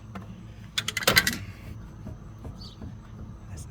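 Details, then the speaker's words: Used lifted truck, driver side upper ball joint rocked by hand: a few dull knocks bunched together, then quiet; worn upper ball joint clunking, moving when it shouldn't. "not supposed to move like that. You hear it clunking? No bueno."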